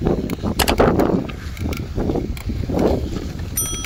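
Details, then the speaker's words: Bicycle bottom bracket area: crunchy crackling creaks on each pedal stroke from a bottom bracket cup that has worked loose, needing servicing. "что у нас случилось в начале видео вы слышали что были такие похрустывание именно когда крутишь педали и нужно сделать так сказать техническое обслуживание данного"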